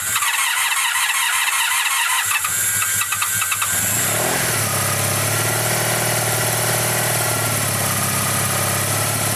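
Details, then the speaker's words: 1985 Honda VF700S Sabre V4 after carburetor cleaning, cold start at about 32°F with a little choke: about two seconds of rhythmic cranking, then catches and settles into a steady idle; starts normally after long disuse. "trying it's coming back to life probably the first time it's ran and who knows how long well that's a pretty good start"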